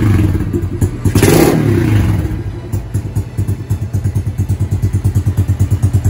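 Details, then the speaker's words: Honda CRF110 with a TB 132cc big bore kit, TB intake with Mikuni 26mm carb and size 25 pilot jet, after the build: a steady, even idle at about three beats a second after a brief blip, with no knocks. It runs healthy. "I'll just start it up one more time and do a circle around it just so you can hear it one more time."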